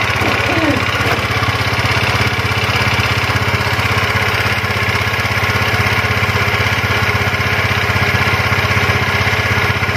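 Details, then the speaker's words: Yamaha Mio automatic scooter after repair of a stiff, dragging rear wheel: small single-cylinder putters at a fast, steady idle with even pulses and no scraping or knocking; runs healthy. "sudah mantap sudah Mantap ya"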